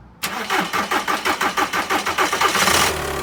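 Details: 1.9 TDI diesel: uneven cranking about three starter turns per second for nearly three seconds before settling into a low idle; hard starting with extended cranking.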